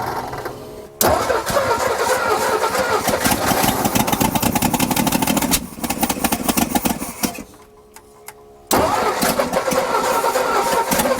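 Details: 1960 Ford F-350 revived after sitting 34 years, with new flywheel ring and starter: starter engages cleanly, engine catches at once, runs evenly, drops out briefly, then restarts without grinding; starter meshing fine, normal start.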